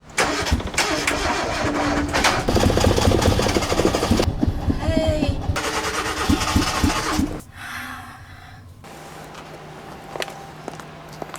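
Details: Hyundai Accent cold start: starter cranks on and off at a steady beat while the pedal is pumped, engine never catching cleanly before revs drop to a weak, uneven idle; extended cranking, hard start.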